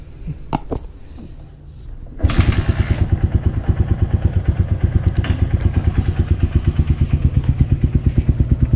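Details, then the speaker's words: Motorcycle idling about 6.4 km after an oil change to Castrol Power 1 10W-40, recorded before adding EGB Safety Engine Lube additive for comparison; steady idle of about three even thumps a second, no ticks or knocks; normal idle. "So yan yung ingay niya. Titingnan natin kung may difference mamaya pag lagay natin ng EGB."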